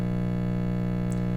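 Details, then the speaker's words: 1952 B.F. Goodrich SD 75 AM tube radio (GE Canada) on a power-up at about 90 volts, drawing 30 watts. Loud, steady low-pitched buzz with no station audio; the filter capacitor is open and bad. "Oh, I can see a filament, and I can hear that filter capacitor is open. So that's it's about 90 volts or so. We're drawing 30 watts, and yeah, that filter is definitely bad."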